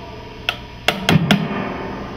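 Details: PRS tube amplifier fail test, tapping the chassis around the tube sockets: four sharp taps, each setting off a brief ringing thump through the speaker. The tube is microphonic; a loose filament can hit its side and kill the tube.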